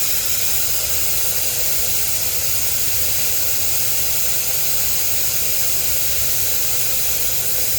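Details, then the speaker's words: 2010–2012 Ford F250/F350 or Chevy 2500 truck during a TPMS diagnosis. Steady, even hiss of air from a valve stem that feels clogged, deflating slowly; the tire is down to about 20 psi on a 70–80 psi tire. A restricted valve is suspected. "Yeah, this one is feeling clogged. So, I wonder if that's the problem here with this thing. We're probably down to about 20 psi."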